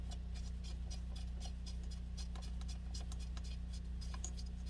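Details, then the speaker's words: Small Honda single from a scrap pile, running briefly with the valve cover off. A steady low putter with light, even valve ticking; decent compression and healthy running. "So we've got life. We've got a decent amount of compression, all things considered."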